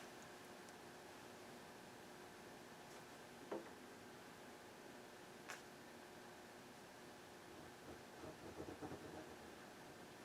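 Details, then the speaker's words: Sears TR-6658 tuner on a Harman Kardon PM640 bench amp: only a steady low hiss, no station tunes in anywhere; static with no station received, broken dial cord mentioned, cause not confirmed. "Well, it seems like we got a problem here. Can't tune a station in."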